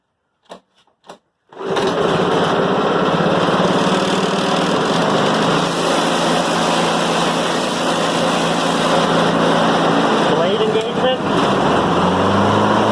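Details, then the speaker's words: Honda Harmony HRM215 mower after oil change, spark plug, air filter and drive cable adjustment, choke set: catches after a few pulls, smooth even drone, no misses or surging; drive now engages on first notch. "all right that was exactly what i wanted it worked on the first notch"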